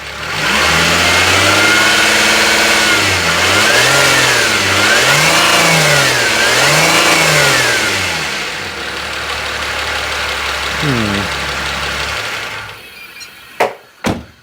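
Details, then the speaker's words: Used turbo Renault at 99,388 miles, engine restarted with the mic left near it: it revs up and down over an uneven light knocking at idle, sounding tired; source not identified. Engine knocking noise. "Just me, or does that sound a little bit tensiony? Start her up again. I leave the mic there. Definitely sounds like something's a bit tired, shall we say."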